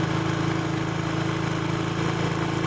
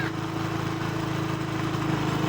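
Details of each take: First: Motorcycle (tagged Passion Pro) with a cold-morning starting and stalling problem, after adjusting the carburetor air screw. A low, steady idle thrum with no dips or stumbles: normal idle. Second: Passion Pro-type motorcycle with cold-morning starting and stalling problem: small single-cylinder idling with an even drone, speed easing down slightly as the carburettor air mixture screw is turned during air setting.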